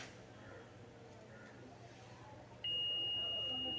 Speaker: Beep അടിക്കുന്നുണ്ട് കേട്ടോ. അതായത് ഈ ഒരു കപ്പാസിറ്റർ ഷോർട്ടാണ്, ഡെഡ് ഷോർട്ടാണ്.